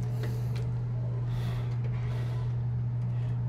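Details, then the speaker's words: American Home automatic washing machine after controller board replacement for a no-power fault, spin dry started: drain motor pulls in with a constant even low hum, no grinding or knocking; normal drain motor operation. "so spin dry start Ma babatak yung drain motor niya yun tumunog drain motor bumatak siya tos mamaya ikot siya ng"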